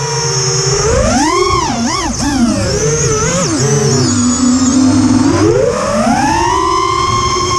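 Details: Quadcopter in flight after ESC swap to TBS Bulletproof 25A (signal cap removed), DShot 600, Betaflight 2.9 to 3.1.0-RC5 update, P40 I20 D5. Motor tone sweeps with throttle under a harsh warbling buzz; strange noise, cause unclear.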